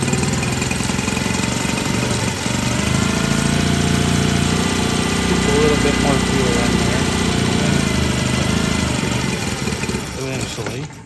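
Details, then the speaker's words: Cold-blooded outboard with a carburetor accelerator pump diaphragm, hard to start after sitting. It runs lumpy for about ten seconds, then stalls; in cold weather it can take 10+ tries before it will idle. "it'll just stop again and sometimes when it's real cold you get up there in the fall or early spring and you're like 10 plus times doing this before it'll actually idle"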